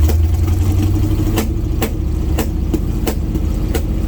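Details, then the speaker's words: 1980 GMC C35 truck, off road since 2007, during test drive: rough running with sharp irregular pops about every half second over the rumble; misfire, possibly from incorrect ignition timing. "that popping and carrying on i don't know exactly what that is uh let me make sure the spark plug wires are where they're supposed to be"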